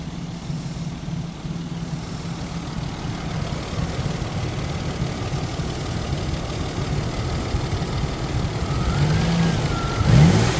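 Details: 1999 Isuzu VehiCROSS after repair of a loose timing belt running 1-2 teeth off: smooth idle rising evenly when revved, no knock or tapping. Belt, idler, collapsed tensioner, pulley and water pump were replaced; engine sounds healthy.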